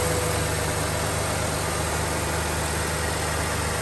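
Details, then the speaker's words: 1992 Ford F250 after repair of an intermittent misfire caused by a defective aftermarket part and likely a bad ground: an even, smooth low-rumble idle with no stumbles. It previously barely ran. Normal idle. "super smooth man I could I I could barely get the thing to run to put in the shop"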